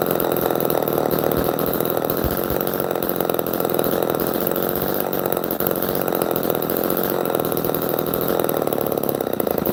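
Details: Old Homelite chainsaw running after firing up, chain not sharpened in about a decade; strong, steady two-stroke snarl holding even revs with no misfire or stumble; it rips hard and runs healthy.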